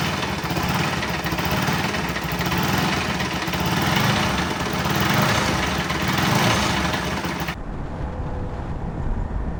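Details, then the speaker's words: Bajaj Pulsar NS200 BS4, bought August 2017, 75,000 km, weird sound began after a service: loud rough mechanical clatter over the idle with irregular thrash; crankshaft bearing, timing chain, head valves and bore all found worn out. "ಗುರು ಇದು sound ಅಂತ ನೋಡಿದ್ರೆ, engine ಒಳಗಡೆ ಇರೋ parts ಎಲ್ಲ ಉಜೋಗ್ಬಿಡೈತೆ. Crank shaft ಬೇರಿಂಗಿಂದ ಹಿಡಿದು timing chain, ಆಮೇಲೆ head ಹತ್ರ ವಾಲ್ವು, head, bore ಎಲ್ಲ ಹೋಗ್ಬಿಟ್ಟಿತ್ತು."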